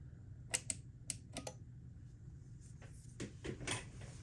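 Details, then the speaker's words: Fender Blues Deluxe reissue tube amp powered up on the bench through a series light bulb: sharp, crisp relay clicks on each channel switch, quick and normal; a separate reverb/footswitch power supply issue is suspected. "Listen for the click. Awesome. Nice. Very responsive channel switch."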